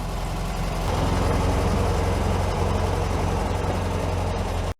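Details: VW Beetle, air-cooled flat-four, idling. A steady, even, low burble with no misfire or rattle.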